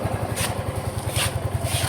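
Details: Yamaha Mio M3 scooter after repair of a total loss of compression; oil put in the spark plug hole may briefly cause smoke: quick, even popping beat with a steady low putter and no knocks or misses; idling smoothly.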